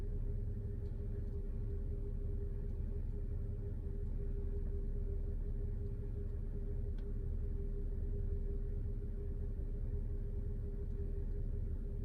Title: Bmw 330i N53 problem cold start rough idle